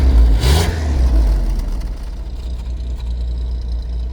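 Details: 1981 Holden VH Commodore during a charging-system check after a lights fix: revved hard, then settles to a lumpy fast idle, with smoke and a bad smell reported; the sound can't place the smoke, cause unknown.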